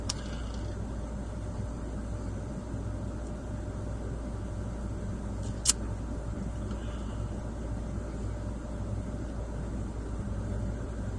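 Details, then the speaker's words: 1996-2001 Honda Civic EK1 D16Y4 at warm idle after fixing a stuck-open idle air control valve: smooth, steady drone at a settled idle of about 800 RPM, no hunting or surging. "Okay. And that's where it should be idling."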